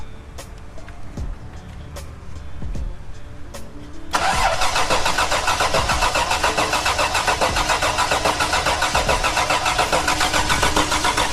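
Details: Toyota 4Runner first start attempt, only 9 volts while cranking: starter churns steadily at three to four beats a second but it never catches; crank no start.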